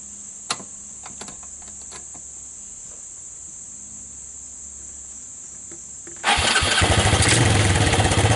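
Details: 1999 Suzuki Quad Runner LT160 on a cold start with the choke on, stator AC output disconnected. Quiet cranking for several seconds, then the single cylinder catches and settles into a steady, even run with no real smoke. It starts cleanly.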